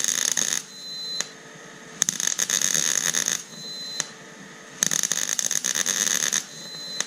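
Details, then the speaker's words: Background noise during work on a 1993 Ford Bronco project, from the valve on a gas tank: high hiss with a thin whistle cutting in and out every couple of seconds. Cause unknown; it sometimes stops when the valve is shut and reopened. "so the valve on my tank that's that now it's not doing that's that noise you've been hearing in the background I don't know why it does that"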